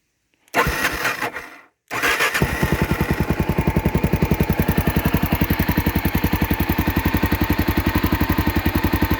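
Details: Honda XR650L adventure build, started in neutral: brief crank, a stall, then it catches and settles into a steady, even thump around 220 per minute, not very loud; normal start and idle.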